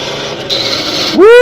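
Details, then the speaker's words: 1952 Ford F-6 tanker truck on its drive home after sitting: it has no third. A rough rasping grind during the shift, then the engine note climbs and holds; major gear grinding. "that's some grinding. No third? Nope. That's some major grinding."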